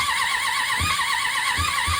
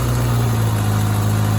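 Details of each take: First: 1993 Suzuki GSX600F, carburetor problem, started on a jump starter after reassembly: catches after uneven cranking and races into a high, unsteady idle that won't drop. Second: 1993 Suzuki GSX600F four-cylinder motorcycle idling steadily and evenly after a long-running carburetor problem was finally found and fixed; smooth low hum with no dips or misses, still warming up, battery weak and boosted; normal idle.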